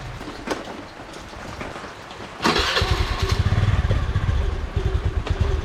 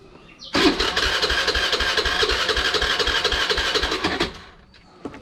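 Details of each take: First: Honda Dio scooter after starting-problem repair: plug cap reconnected until it clicks, engine dried after cleaning; quiet cranking, then it catches at once and settles into a steady, even putter; normal start and idle. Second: Honda Dio scooter with a starting problem, started with the choke on: starter turns the engine in even beats about four a second for nearly four seconds, never firing; no start from poor spark plug cap contact.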